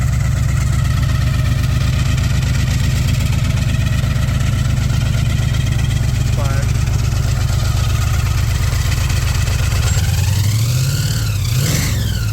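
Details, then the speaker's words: 1968 Chevelle with supercharged 350-sounding V8, heard up front: lumpy idle with thin blower whine rising on each throttle blip; normal supercharger whine. "Like I said, out back it doesn't sound the best, but when you have that blower whine and you're heading in traffic, people are looking. They want to know what that is, what's going on."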